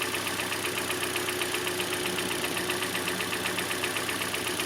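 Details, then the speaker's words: 2014 Hyundai Elantra: rough idle with a regular tick-like pulse about 2.5 times a second from a cylinder getting no spark. The failed ignition coil was confirmed by swapping coils; spark plugs were badly worn with wide gaps. "And yes, it was a failed ignition coil."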